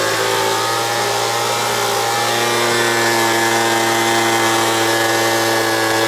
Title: Leaf Blower Rattling Noise and vibrates Fix